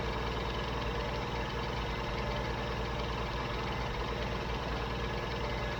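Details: Old Jeep CJ7 petrol engine idling while running only off a DBPOWER G57 2500A jump starter with the car battery disconnected: a low, steady rumble with no misses, knocks or hunting. Normal idle.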